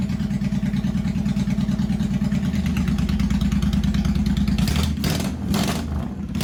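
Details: 1985 Honda VT1100 Shadow V-twin, first start in 25 years, enricher off, idle bumped up during carb work, no mufflers. Loud, lumpy open-pipe beat of about three pulses a second, steady but uneven. Rough idle on carbs not yet synchronized.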